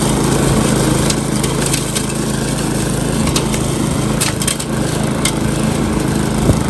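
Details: Repaired Briggs & Stratton lawn mower at full throttle, target about 3000–3600 rpm, cutting thick grass before an oil change: strong, steady high-speed drone holding pace; runs healthy under load.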